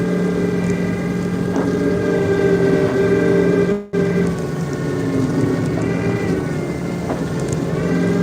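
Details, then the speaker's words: Snow-plow truck pushing 6–8 inches of heavy snow in a Long Island parking lot. A steady drone and constant hydraulic whine sag as the blade loads up, and the heavy snow is bogging the hydraulics down. "It's supposed to snow for probably about 5 more hours. We got, depending on where at, we got probably 6 to 8 inches. It's nice. This lot's usually full of trucks and everything, so this will make my life easier. Getting heavy, bogging the hydraulics down."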